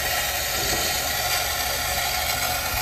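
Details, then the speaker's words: Hoshizaki ice machine throwing a 1-beep error and stopping ice production. In ice mode after a drain cycle, the water fill valve gives a steady, loud, harsher-than-normal rushing hiss into the reservoir. "fill the water valve and then fire up the condenser fan and if we take a look at this I'm guessing we're going off on high well that sounds aggressive"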